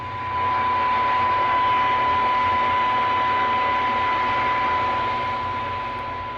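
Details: Philco 41-280 vintage radio under restoration, IF alignment: a steady ~1 kHz signal-generator test tone over hiss from the speaker while the IF stages are misaligned. The negative DC reading drops toward 0 V out of alignment and rises into alignment.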